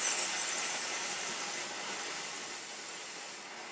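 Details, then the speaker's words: Chief Steamer, heated with good pressure, single-hole nozzle, valve turned to minimum (limited never to fully close): steady even steam hiss easing slightly, no sputter or pulsing; normal low-flow steam discharge. "we can limit the amount of steam now the valve is never going to totally close because we don't want to damage the machine so we've limited these valves to where they're going to be open a little bit and that's as much as you're going to get so that's our that's our least amount of steam"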